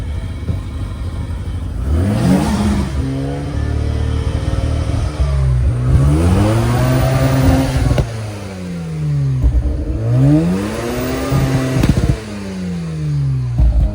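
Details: Mazda RX-7 twin-turbo rotary at auction, test with no compression test possible: engine blipped up and down repeatedly, uneven clatter underneath; something seems wrong, cause unclear.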